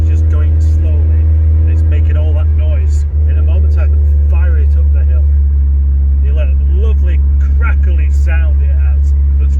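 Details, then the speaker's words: 416 GTi under load on a climb, after refitting the original exhaust that was cracked and patch-welded several times: deep, loud droning boom far louder than stock, like a rally car; the exhaust is leaking. "too loud there we go sounds like a rally car"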